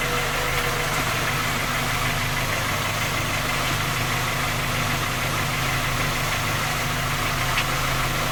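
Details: Skoda Octavia A5 facelift 1.6 MPI, cold idle: fast, light ticking knock on a steady engine note. Three engine repairs done, fault not found, still knocking; source unknown.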